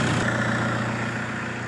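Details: Toyota Innova diesel with added turbo intercooler, ECU remap and upgraded automatic transmission: settles into a steady low rumble with an even clatter, no knocks or misses; healthy idle.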